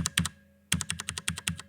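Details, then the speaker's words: Stock factory-lubed Cherry MX Brown switch on Drop ALT keyboard: clacky keystrokes with loose rattly tail, spring ring and plastic rubbing; switch rattles from not fitting snugly in the board. "you can hear the switch sort of rattling because it's not it's not a really snug fit with the board"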